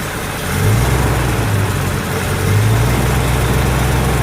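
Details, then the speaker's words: Pontiac GTO V8 idling after a 10-minute break-in and valve lash adjustment (rockers tightened until quiet plus a quarter turn; timing set near six degrees): low, even rumble, no top-end tapping; quiet, healthy normal idle. "that side had a loose one this one had a loose one this side just didn't respond and after that got quiet it was a lot better"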